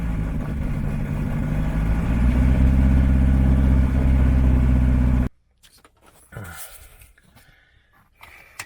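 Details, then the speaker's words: Fuel-injected turbo Rotax from EDGE Performance on a RANS S-7S aircraft, first start at 60 psi oil pressure, throttle set a little low: it fires straight away and settles into a smooth, even beat with no misses, a healthy start and idle. "so I have to throttle a little low and it's still fired right up"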